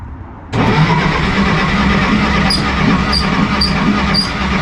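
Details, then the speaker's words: 1953 Willys Jeep CJ-3B, parked about three years, points ignition, choke on, foot on gas: starter cranks steadily but it never fires. Fuel smell present; owner thinks the spark is too weak despite the coil being fine. Crank, no start, weak spark. "i can smell fuel i just i think that sparks really weak which clearly has no fault of our coil probably the other coil's still good"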